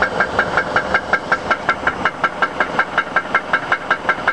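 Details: Chrysler 300M idling in gear after being driven about 10 miles until it overheated: loud, consistent sharp metallic clank about 2.5 times a second; owner unsure whether it is lifter tick or a spun bearing.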